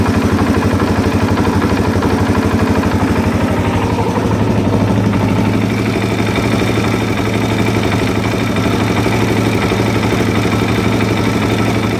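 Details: 2001 Suzuki DRZ400E with a Wiseco aftermarket piston at idle: a sharp, fairly regular knock on each beat, assessed against a stock piston. It still sounds the same with over 3,000 miles on it; a misset cam chain tensioner would sound less rhythmic.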